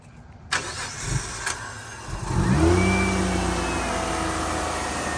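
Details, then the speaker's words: Car with an inconsistent low idle when warm, started just after a battery-disconnect computer reset and tightened intake hose clamps: a quick crank, a clean catch and a smooth, even idle. Normal startup and idle. "what you heard from that startup is that all the computer systems were being reset"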